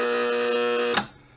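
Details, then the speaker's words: 1972 Bally Fireball pinball after reassembly: steady buzzing hum with high whine holds about a second then cuts off sharply, a relay stuck on while the 10-points kept trying to score. "yeah that's what would happen you can hear the relay that's stuck on"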